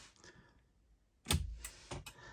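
A quiet cab, then a run of sharp, crisp clicks roughly every third to half second: the turn signal flasher is cycling normally again.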